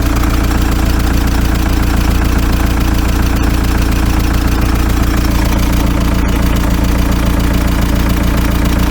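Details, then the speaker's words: VW T3 TDI after cylinder head swap and JB Weld piston repair, v-belt refitted, timing belt cover and coolant expansion bottle still off: steady even diesel clatter at idle, about 3.5 beats a second, no misses or knocks; running sweetly. "but uh let's just let's just have a listen and see how it's running now sounded pretty sweet to me"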